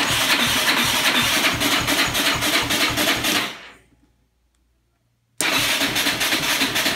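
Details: 2003 Yamaha Raptor 660 with new gas, a cleaned carb and tank, a valve adjustment and a new plug boot and coil; the stator is good, it has spark, and fuel spits strongly from the plug hole: steady starter churning, a pause, more cranking, and it never catches.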